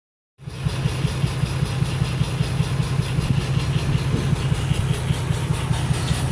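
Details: Lexus IS300 petrol engine idling after the engine bay was washed: low, uneven pulsing chuff from the intake, about two to three a second; weird intake noise, exhaust also making a weird noise.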